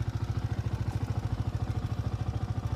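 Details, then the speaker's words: Yamaha R15 V4 at 25,877 km: rapid, even metallic ticking at idle, about ten clicks a second over the low engine note. The showroom says it is a failed rocker arm. "हे दाखवतो तुम्हाला इतक्या लवकर हा आवाज येतोय तर हा आवाज आहे रॉकरचा अस शोरूमवाले म्हणतात"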